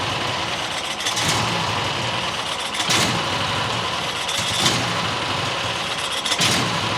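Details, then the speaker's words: New John Deere XUV side-by-side petrol engine won't idle, surging roughly every two seconds with rough hiss while owner adjusts idle; suspected dirt sucked into carburetor after rodent nest in airbox; poor idle, likely from clogged low-speed jet. "You know, there's probably crap in the carbureetator because uh fluffy got in there and it probably sucked in a bunch of dirt."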